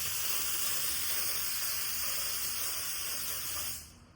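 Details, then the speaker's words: Paint spray gun with fluid screw turned too far in, starving paint flow: loud airy hiss with a thin high squeal riding steadily on top; squeal from starved fluid flow. "we had this screwed too far in, so we were not getting enough paint. That's why you're getting that squealing noise."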